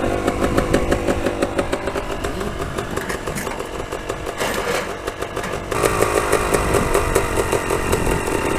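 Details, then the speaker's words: 2011 Yamaha YZ250 two-stroke after top-end rebuild, new piston and rings breaking in, after about 10 minutes easy riding: crackly fast idle, idle screw turned a quarter to half turn to lower the too-high idle. "So the idle's kind of high. I'm gonna bring the idle down a little bit."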